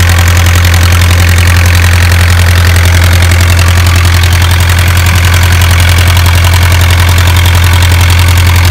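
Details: Isuzu 4BA1 85 hp diesel engine directly coupled to a single-impeller 5-inch water pump for irrigation: steady, even diesel clatter at a constant low idle, regular firing with no knocks or misses; running healthy.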